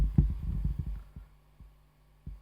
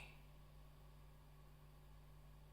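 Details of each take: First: Dunlop Rotovibe JS-4S pedal on bypass, signal amplified 35 dB: soft low thumping clicks over a faint hum, spacing stretching as the always-running LFO sweep slows, leaking into the bypassed signal, attributed to a floating ground. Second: Dunlop Rotovibe JS-4S pedal in bypass, signal amplified 35 dB, after grounding a floating ground track with a wire to output ground: steady low mains hum and faint hiss, no clicking; quiet bypass.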